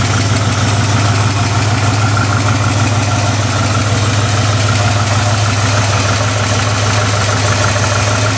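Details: 1969 Ford F100, believed 302 V8, C4 automatic, idling: steady idle much too loud, with a raspy puffing chuff on each firing; exhaust leak, passenger-side pipe cut or rusted off, mufflers need replacing.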